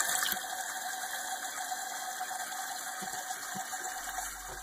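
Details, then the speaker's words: Toilet after replacing the faulty fill valve: even hiss of water refilling the tank with no sputter or chatter, then shut-off about 1.5–2 inches from the old line, still needing height adjustment; normal refill. "it has filled to where it has shut off and as you can see it's about an inch and a half maybe even two inches from where the previous line was and that's because it needs his final adjustments"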